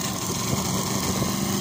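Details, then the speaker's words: Tecumseh lawnmower engine after winter maintenance: small single-cylinder ticking over fast and even, steady buzz, no misses or knocks; sounding a lot better and idling nicely. "As you can hear, it's sounding a lot better. Ticking over there nicely."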